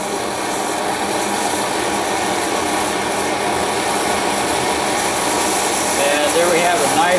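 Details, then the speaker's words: MSR XGK EX military multi-fuel stove burning white gas with XJ jet, vaporized and hot, at blue flame with more fuel added: steady, even hissing roar, no sputter, surging or pulsing; burning clean at full output. "once it starts to vaporize and gets hot enough you'll notice the flame starts getting higher it starts pulsating and it's going to turn into a nice blue hot flame burn really clean"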